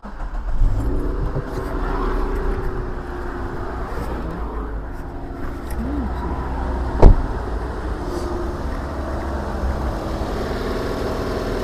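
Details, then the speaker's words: 2004 Hyundai Santa Fe Mk1 2.4L after coil pack replacement (spark plugs already replaced): engine starts and runs with a low, even rumble and a light rev blip, no misfire or shake; running smoother. "There we go. That feels a bit smoother."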